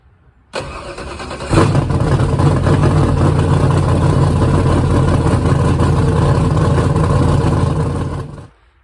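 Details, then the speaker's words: Ford Cleveland V8 with plug wires five and six just corrected and timing bumped up: rough, stumbling idle missing on a cylinder because a rocker arm had come off; head also leaking coolant. "so it's missing well it sounded like crap because it had a rocker arm that had come off put that back on"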